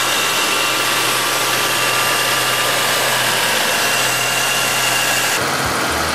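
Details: 1997 Chevrolet Malibu 3100 V6, 75k, lower intake manifold done about 8k ago, cold start with busy rattly hollow clatter at idle; suspected piston slap, not confirmed.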